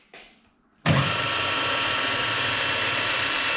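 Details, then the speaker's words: Restored old mill with fresh oil, spindle engaged and shifted to its highest speed (B4). After the lever click it spins up to a smooth, steady high whir with no knocks or grinding: normal running at top spindle speed. "is the fastest speed"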